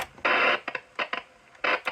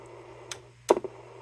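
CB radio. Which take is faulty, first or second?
second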